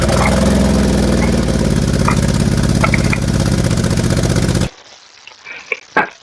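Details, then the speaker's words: Chevrolet Traverse 3.6 L, 291,000 miles, salvage-listed as mechanically damaged, almost no fuel: rough running at idle, loud, uneven and lumpy with a ragged pulse about three a second, as if it had a hole in the block; cause unconfirmed. "thing runs like it has a hole in the block however this Traverse has permission to be blown up"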